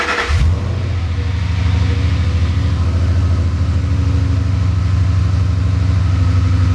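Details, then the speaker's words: Mustang cold start after spark plug and coil work: engine catches and settles into a deep, slightly uneven idle, small revs to about 2000–2200 rpm showing a stutter that disappears once warm; owner unsure if tune or something else. "I did give it a few small revs nothing over like 2 000 or maybe like 2200 RPM and the reason why I did that is so you could hear a little bit of kind of like the stutter that it does"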